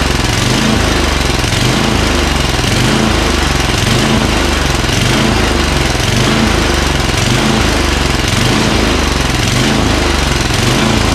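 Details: Craftsman 29" snowblower with 9HP Tecumseh engine: loud idle rising and falling roughly once a second in steady hunting rhythm, carburetor-type surge; suspected fuel delivery or fuel solenoid problem, carburetor cleaning planned.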